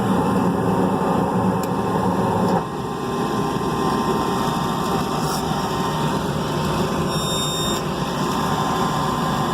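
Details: Rooftop HVAC unit, opened up after a reported noise at startup, restarted: a steady, even rush of air from the inducer and blower with no knocks, rattles or squeals. Nothing unusual is heard, so it starts normally.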